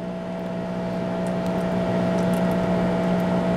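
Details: New Danby 50-pint dehumidifier's built-in drain pump draining through a long drain hose: low, even motor drone with a faint steady whir, no grinding or chatter; normal condensate pump operation.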